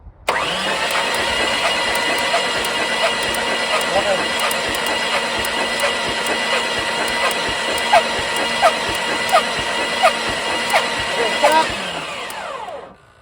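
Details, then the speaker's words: Jeep XJ being cranked while chasing a misfire, with only cylinder 3 firing and fluid puffing out: steady cranking with sharp regular ticks. The ignition is arcing out. Fuel was later found to be a bad injector and gas-line leaks. "So part of what I'm hearing is the ignition is arcing out."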